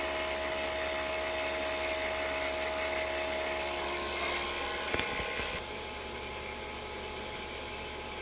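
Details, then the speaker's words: Harvest Right freeze dryer with a vacuum problem: steady, even electric whine of the vacuum pump with constant pitch and no gurgle or sucked air; vacuum pump running normally. "We can hear the pump running."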